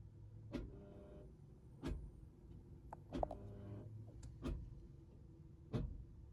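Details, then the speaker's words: Fiat Idea Dualogic (Selespeed) automated manual after clutch change, reverse switch replacement and hydraulic fluid change, running the end-of-line test with brake pressed: quiet clunks with short whirs about every second from the front as the gearbox actuator calibrates. "Hit the old execute. And I can hear the odd sound being made from the front."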